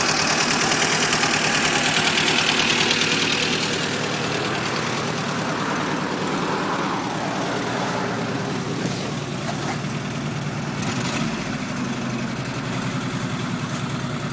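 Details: VAZ 2109 engine at idle: regular tapping knock about three per second over a rough, shaking engine note; owner asks why it knocks and vibrates, cause unknown.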